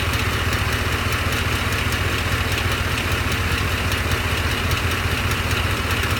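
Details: Truck at idle: a sharp, even tick of about two to three per second over a smooth idle. The owner suspects a cracked flex plate; the source is unconfirmed.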